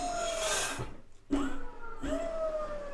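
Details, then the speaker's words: Electric scooter/e-bike disc brake spun at full throttle after straightening the disc: a thin rubbing squeal near 600–700 Hz comes and goes with wheel rotation, as a tiny raised scratch on the disc, left by the straightening tool, touches the brake pad. "But this tiny scratch is touching this braking pad, and that's why you can hear this sound."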